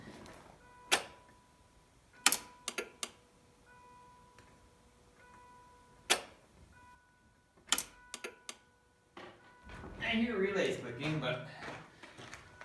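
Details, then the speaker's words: 1989 Ford Probe GT Turbo with no-start issue, newly installed fuel pump, six gallons in tank, key on: sharp clicks over cabin chime but no pump hum; fuel pump not heard running. "hear fuel pumps pumping we got nothing"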